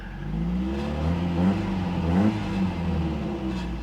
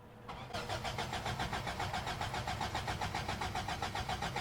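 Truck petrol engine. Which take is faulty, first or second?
second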